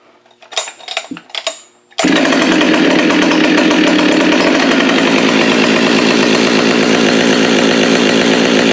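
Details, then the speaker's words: Husqvarna 572xp chainsaw, built from used parts, started right after a muffler mod: a few pulls, then it runs hard at high revs, slightly unsteady while AutoTune readjusts to the changes; uneven running after modification. "yeah that's gonna be all screwed up for a little bit everything's all different on it so the card reader doesn't know what to do just yet"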